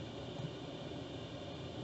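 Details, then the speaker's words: Chinese diesel heater in a 1988 Toyota Hiace campervan switched off after about half an hour, van at 15 degrees; fan speeds up to purge remaining diesel then eases down; steady even whir for about two seconds then silence; normal shutdown. "hold the button down flush with off you'll hear as it just speeds up to pump out any remaining diesel in there and then slowly that will ease down until it's off"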